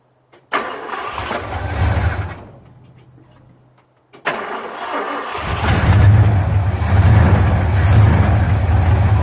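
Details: 1974 Ford F250 carbureted engine that smoked and wouldn't shut off, after cleaning the starter solenoid terminals: cranks and catches, runs a couple of seconds and cuts off cleanly, then restarts into a steady deep idle.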